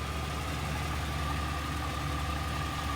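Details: Box Chevy project car, owner-rewired, tuning untouched, just started: steady even low engine drone with no knocks or misses. Idles smoothly, healthy.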